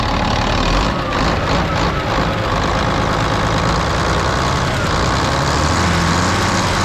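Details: Volvo A30C off-road haul truck diesel at idle, seller-disclosed exhaust leak: loud idle with a harsh hissing, puffing chuff over the rumble, an exhaust leak clearly audible.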